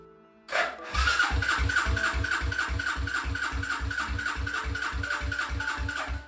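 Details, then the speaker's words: 1995 Suzuki LS650 Savage chopper, first start attempt with choke on: starter churns in even beats, three to four a second for five seconds, never catching; spark is good, so owner suspects no fuel flow via the vacuum petcock hose. "he turned the key expecting a roar instead he heard an engine asking for more"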